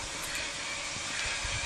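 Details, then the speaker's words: BMW E39 EV conversion, V8 removed, electric motor run on a 12 V battery via a quick wire, driveshaft connected: steady airy rush with thin even high whine as motor spins and rear wheels turn freely, no knocks or grinding. "so i just got 12 volt battery hooked up so i just got a quick wire on here ah go on you can hear the motor is spinning up and our trusty back wheels are in motion"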